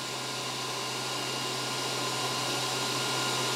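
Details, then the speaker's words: WULF PCP air compressor with only the cooling fan running, before the motor is started; temperature dropping from 18°C to 17°C: steady airy whoosh over a constant low hum, no rattles; normal fan running, drawing in cool air. "the temperature will fluctuate as the motor turns or as the fan motor comes off but we just want to see that it's changing temperature and that it's sucking in cool air"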